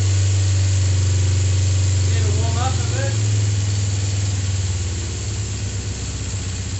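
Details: Kawasaki GPZ 500S 498cc carbureted twin, freshly serviced and rebuilt, warming up: deep steady burble at idle with revving, even pulses settling lower; runs cleanly, no knocks or misfires.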